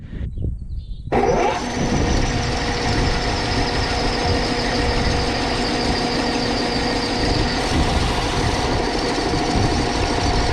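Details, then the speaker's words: Overhauled Gaso 3211 pump running without oil, bearings sprayed with Micro Mist spray oil, checking for heat: starts and settles into a smooth, steady run with no knocking or binding. Pump turns completely free. "all right that's what we wanted to see that thing's free completely up"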